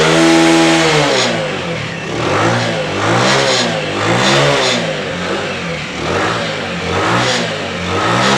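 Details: Single-cylinder motorcycle after carburetor cleaning with jammed main jet passages cleared, no leaks: runs and revs in smooth repeated swells, no misfire or stumble, returns cleanly each time.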